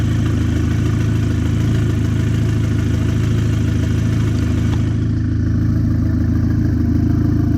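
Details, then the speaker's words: Audi A4 fully rebuilt 2.0T FSI engine with JHM K04-R turbo kit, first startup, idling before warm-up, oil residue burning off: steady idle with light even injector ticking about 160 a minute, no squeals; normal idle. "I mean, I hear the injectors tapping a little bit. It sounds pretty quiet, not too bad. Everything's running pretty good. No squeals, no nothing."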